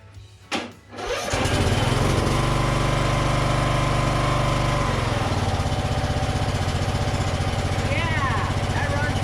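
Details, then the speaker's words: Toro 14.38Z zero-turn mower: catches after a quick pull, then runs with an uneven, lumpy beat about four pulses a second, over-choked and not settling at idle; throttle linkage closing too far suspected. "that wasn't too bad except for the camera fell off so it didn't quite idle but the choke was definitely choking it"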